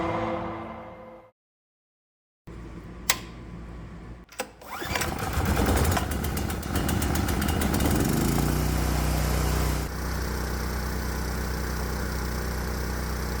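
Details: 212cc Predator small engine on stock ignition (about 24° BTDC), baseline run before custom ignition: after a quiet pause it starts and settles into steady, even high-speed running with no misses or knocks; healthy.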